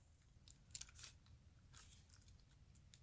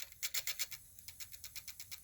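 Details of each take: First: Sony D-15 Discman, just re-lubricated so the sled pulls back in, tested in an odd orientation: faint mechanism clicks, then a short rising whir as the disc spins up and settles; the player starts normally. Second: Sony D-15 Discman after lubrication, running in an odd orientation with boards unscrewed: fast light rhythmic scratching ticks, about eight a second in step with the disc, the disc rubbing on something; scraping suspected from orientation, cause unconfirmed.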